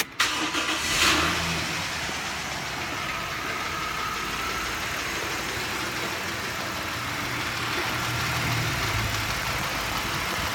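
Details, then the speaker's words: Hydraulic lifter tapping from the right-hand bank of a 2006 Mitsubishi Raider at steady idle, fast light ticking; front three lifters already replaced without fixing it. "but anyway having a lifter noise coming from the right-hand side here"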